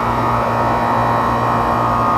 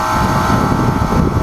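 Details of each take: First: Outdoor AC condenser running with a steady, even hum and whoosh and no screech or rattle after its bad dual capacitor was replaced; the condenser fan motor draws 1 A against a 1.5 A maximum. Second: Gas package AC unit: loud screeching compressor hum with no fan whoosh; the condenser fan motor isn't running because of a bad dual capacitor, so the compressor overheats; unit ran properly after the capacitor was replaced.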